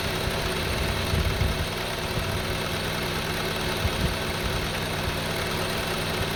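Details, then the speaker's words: 2002 Honda CR-V 2.4 L with rough, hunting idle; with the sensor unplugged it holds a raised, steady idle, high RPM but smooth, no surging. "See, now the engine is running, but in high RPM. But it's running smooth."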